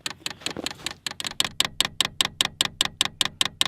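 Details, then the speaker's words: New portable diesel heater connected to battery, up and down keys held to prime: sharp rapid evenly spaced ticking, several per second, as the fuel pump pushes diesel through the fuel line; normal priming. "have to hold the up and the down key, and if you can hear behind me that ticking, that's the fuel pump working, and you can see fuel going through the little fuel line,"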